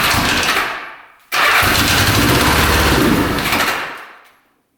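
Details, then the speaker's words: 1975 Honda 1000cc motorcycle restarting after 25+ years in storage, spark confirmed on all plugs; fires with a loud burst, runs rough a couple of seconds, dies, then fires again, with a small fire near the tank; owner suspects the four carbs need cleaning; hard starting. "Wanted to fire right back up, so I'm guessing it just needs some carbs cleaned, and this thing's gonna be good to go."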